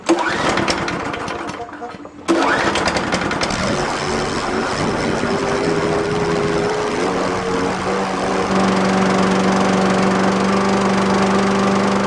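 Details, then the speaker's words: Scotts mower engine after hydrolock from fuel passing the carburettor, carb serviced and a fuel shutoff valve added: steady, even single-cylinder drone with no misses or surging, running normally. "It looks like the Scott mower is back in action."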